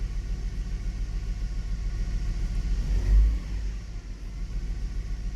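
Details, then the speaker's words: Hummer H3 idling with one ignition coil unplugged to simulate a dead coil: low, uneven, lumpy rumble with rattling, more engine vibration and a weird drop when accelerating, a cylinder misfire. "there is a bit more vibration on the engine and the engine got that weird drop down when you give it a bit of acceleration"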